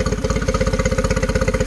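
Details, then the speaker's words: 2013 Yamaha 9.9 four-stroke outboard, after compression check: even, steady firing at settled idle, measured 800 rpm matching spec, no misses or stumbles; idling cleanly. "okay she's got great compression okay just to yep that's perfect could be a smidge fast i don't think so i think it's just perfect"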